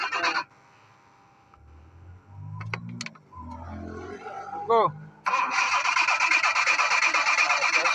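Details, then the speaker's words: 1986 Jaguar XJ6 unstarted for two years: starter cranks with even rapid beat for several seconds but engine never catches; fuel pump pressure found very low, pump to be replaced. "the pressure is not too much the problem may we change the pump we see the the pressure of the pump is very low so we have to change the pump and see how it will work"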